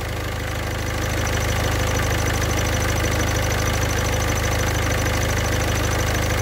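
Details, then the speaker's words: Idling engine with a thin, high chirp pulsing quickly and evenly while the clutch pedal is pressed and released; the clutch release bearing is suspected, with its balls beginning to wear. "barulho parece estar vindo do rolamento de liberação (embreagem)"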